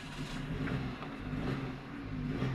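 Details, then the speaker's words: Suzuki Alto (2021; thought to be a 2019/20 model) with DTC P0336, started only with the accelerator pressed: with the pedal fully pressed, the engine rumbles low and surges up and down, never revving above 1500 rpm. Cause is bent crankshaft reluctor teeth disrupting the crank sensor signal. "یہ اس کی condition ہے گاڑی جو ہے نا 1500 ار P M سے اوپر race نہیں لے رہی ہے"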